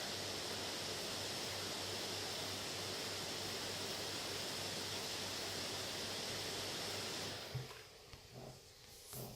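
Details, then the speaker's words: Late-2017 HP Spectre x360 13 with i7-8550U and dual fans, under load at about 41–42 °C, recorded with a phone: steady loud airy rush for about seven seconds, no ticking or rattle, fans at high speed but normal. "It's now getting hotter, and the fan should be ramping up, as you can hear."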